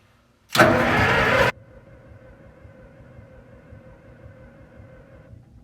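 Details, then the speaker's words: Link-Belt machine first start, updraft carburetor: about a second of starter cranking with no firing, then a faint hum; no spark because the coil wire was not plugged into the distributor cap. "If you look closely here, you can see the coil wire isn't plugged into the distributor cap. I didn't realize it at the moment."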